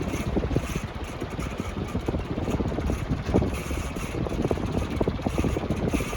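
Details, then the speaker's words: Dayton (Leading Edge/Marley) 48-inch industrial/commercial ceiling fan, dirty, ex-retail store: fast uneven ticking and fluttering over a steady whir while running; fan not stiff, spin-down over a minute; running noise, cause unknown. "Like the fact that it only just makes a noise and it's not stiff, like I'm honestly like, I'll take it."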